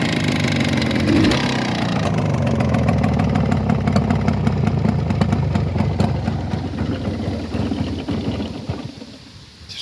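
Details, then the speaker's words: Jawa 638 12 V two-stroke at rough idle with a sharp, fairly regular ticking knock about four per second, after new pistons and cylinders bored to 4th oversize; owner suspects the central main bearing, not confirmed. "поменял поршня расточил цилиндры по 4 монд но все равно что-то стучит думаю что это центральная опора"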